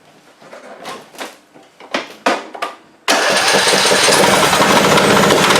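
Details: Craftsman riding mower donor, battery after charging: a few cranking bursts, then the engine catches and runs steadily with the deck spinning smoothly; normal running.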